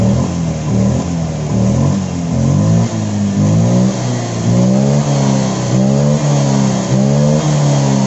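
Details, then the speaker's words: Honda Vario 125 FI after repair freeing a stuck part: throttle blips drop straight back to a steady, even idle; previously idle fluctuated up and down and revs were slow to drop; idle now normal. "idle-nya sekarang sudah bagus, kan?"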